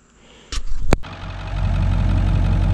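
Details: 7.3 Powerstroke diesel with hot no-start, after replacing IPR valve and cam sensor, hot after about 10 miles; brief crank, catches straight away and settles to steady even idle; starts and runs normally.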